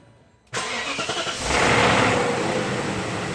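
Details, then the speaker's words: 2001 BMW 740iL E38 V8 cold start after sitting almost a week; brief metallic timing chain rattle then settles toward idle; suspected worn chain guides or oil draining back from filter, not confirmed. "Oh! You can hear that chain rattle. That's for sure. Now, a lot of people have said that that is the chain guides going."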